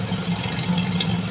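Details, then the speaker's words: Used standard (unmodified) Suzuki Katana inspected before purchase, engine running during oil-filler check: steady, even idle with a smooth low rumble, no knocks or misses; engine vibration is calm and stable, judged healthy. "an-teman juga bisa lihat dari getaran mesin ya dia stabil dia tenang tidak naik turun untuk kondisi mesinnya ya"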